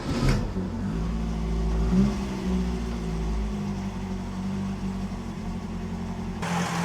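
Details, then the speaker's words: Classic Mk1 Ford Fiesta running on a makeshift fan belt of strong cord tied with a knot: quiet, steady idle with a low even hum and no squeal, water pump and alternator turning well, slight fraying at edges; normal idle. "Right, that seems to work quite well. I think there's a bit of fraying going on at the edges, but it's running nice and quiet. water pump and alternator seem to be turning well."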